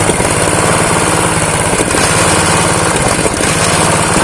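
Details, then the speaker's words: Honda GX160 single-cylinder water pump engine revived after years of disuse, seized and low compression: low, lumpy idle wavering near stalling; idle set too low, raised via the throttle stop screw, carb jet possibly dirty. "Untuk stasionernya kurang stabil ini."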